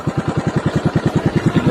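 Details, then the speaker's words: TVS XL100 self-start: steady idle with a quick even beat, about nine pulses a second, and rough mechanical clatter; loud timing chain noise from worn chain, linked to neglected oil changes. "Timing बहुत ज्यादा sound sound बहुत ज्यादा आवाज आ रही है आवाज आ रही है"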